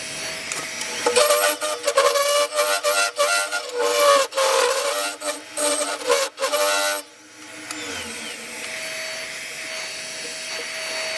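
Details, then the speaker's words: Lathe turning the inside of a yew log goblet with a negative rake scraper: rough juddering scrape in uneven bursts with a ringing note underneath; horrendous chatter vibration, cause not confirmed. "still getting horrendous vibration here as you can hear from the"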